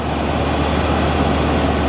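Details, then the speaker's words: 1983 Mercury Cougar 5-litre V8, bought as a non-runner, after fixing a fuel leak; steady even idle, smooth low rumble, no ticks, misses or surging: normal idle. "Damn old engine sounds perfect, man. She runs pretty good. Listen to her."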